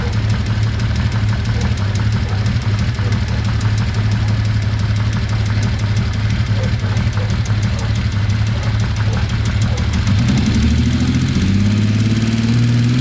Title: Z1300 Troublesooting - Ticking Sound